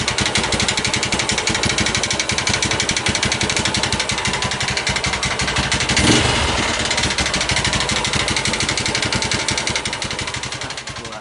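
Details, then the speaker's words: Honda New Megapro carbureted motorcycle bored up with 61 mm block and KLX 61 piston: loud dense metallic rattle over fast uneven single-cylinder beat; scored bore with damaged piston, awaiting BRT 200 cc bore-up kit. "Suaranya sangat tidak asik sekali ya, ini sangat menggeletek ya."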